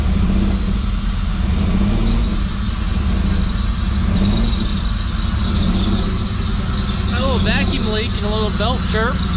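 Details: 1985 Pontiac Fiero first start in 19 years after fuel tank cleaning and fuel pump replacement; loud steady engine rumble with a thin, high wavering squeal on top, like air hissing through a small vacuum leak.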